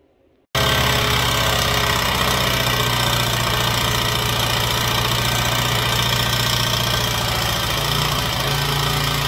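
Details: Honda XR80 single running after fitting replacement used cam, head parts and gasket and adjusting the valves to remove a slapping noise: light, quick ticking over the exhaust beat, a little better after adjustment. Valve clearance tapping.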